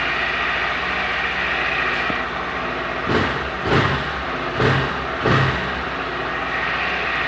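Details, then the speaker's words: 2021 Honda Fan 160 single, first cold start of the day, checking for the engine noise others report: idles steady with a few soft thumps, no knocking or rattle; owner hears no abnormal noise, normal cold start and idle. "Assim, eu não vejo esse barulho todo que os caras falam não, sabe? Pode ser que eu fui premiado, né? Com a moto que não barulha tanto, igual os caras falam por aí, né?"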